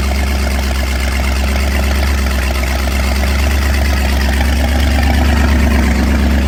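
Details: 1983 Formula F20-SC boat's MerCruiser 305 small-block V8, first start (freshly painted short block, starter troubles first), run on a stand at night: deep, steady, even idle burble with no knocks or misses, a healthy normal idle.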